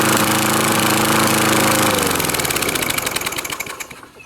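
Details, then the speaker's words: 1980s Craftsman 4 hp 20-inch mower with Tecumseh Eager-1 engine, cracked deck and upside-down, broken, off-center blade: harsh rattling clatter over the engine note, then fast regular slapping winding down as the flexing deck lets the blade hit the sides. "uh it flexes enough to have the blade actually hit on the sides and I'll demonstrate that when I fire it up"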